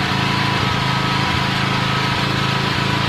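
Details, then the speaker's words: Norton PGi2500c inverter generator after the owner cleaned and tuned it: fast, even engine drone with a constant hum and no misses or surging; starting better and running smoother. "Sounding a lot better now. More smooth. Yep."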